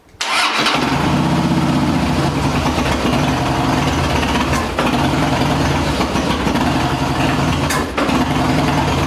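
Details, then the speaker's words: 2011 Harley-Davidson Heritage Softail, fuel pump primes, engine catches briefly rough then dies, code B2119 fuel pump overload; regulator housing already replaced; starts then stalls. "the problem real quick the problem is that the fuel pump would prime and then you would start it would start for about maybe half a split second and then dies off"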